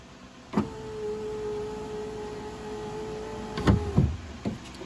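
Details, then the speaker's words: Fiat 500 Abarth new window lift assembly (regulator and motor) after replacement, accessories on, raising tab to meet glass: clean steady motor whine about three seconds with clunk at each travel end; operating normally. "we're going to go ahead and turn the accessories on to the vehicle and then have this tap go up and connect so here we go"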